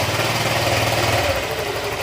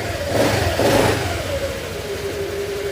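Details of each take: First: Honda Click 125 V3 scooter at idle with the pulley removed: a rough, gravelly rattle stays, pointing to a loose camshaft, not the crankshaft that three mechanics blamed. The noise started after a tire change and an exhaust leak was already fixed. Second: Honda Click 125 V3 scooter after the camshaft problem was fixed: a quick throttle blip settles back to a smooth, even idle with no knock or rattle. The engine is quiet and healthy.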